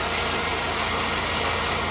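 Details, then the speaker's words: Chevrolet Camaro with about 90,000 miles, possibly with the 3800 engine. At idle a low drawn-out cow-like moo and hiss come from the belt dragging over a seized, non-turning accessory pulley, which got hot with a burning rubber smell. The alternator was suspected first. "and that noise I'm hearing could either be the alternator but more than likely it's the pulley and I'm actually smelling a little rubber"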